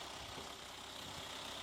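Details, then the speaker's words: Used Daihatsu Terios inspected before purchase: no oil seepage, radiator on plain water, exhaust condensing water with little smoke. Soft, steady idle hum with no knocks, misses or rattles; the engine sounds smooth and normal. "Kalau ini saya dengarkan sih mesinnya masih halus, ini masih normal kayaknya."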